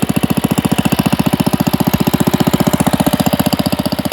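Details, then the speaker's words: Pond lever-steer tractor, engine with new Champion D16 spark plug and borrowed starter: steady knock about 220 per minute over idle; clutch pressure plate fingers pivot out when the clutch is pushed and strike the bell housing. "i see where that noise is coming from right here and here these fingers on this pressure plate when you put the clutch in it pushes the inside and these pivot and come out and it's just hitting the bell housing here"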